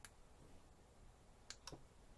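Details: Sonoff smart switch relay toggled by paired 433 MHz key fob button A, turning LED panel on and off; a few clean sharp clicks about a second apart in a quiet room; relay switching properly, normal.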